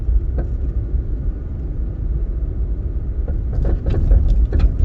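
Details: Car's rear passenger side near the back right tire: over steady road rumble, clustered loose rattles burst in with each bump or elevation change, stronger on rough patches; owner suspects a strut mount, source unconfirmed.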